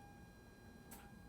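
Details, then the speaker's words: Rita Sue, which lost power and ran as if on three cylinders, coil packs tested one by one: next coil gives two sharp snaps about half a second apart, sparking. "Again, yeah, that's sparking. It's really, really weak though."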